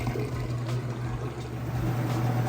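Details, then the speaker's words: Whirlpool top-load washer draining after the rinse, going into the final spin; steady low pump hum with water rushing through, even and unbroken, draining nice and fast, normal. "Goes, you can hear it draining nice and fast. The drain there."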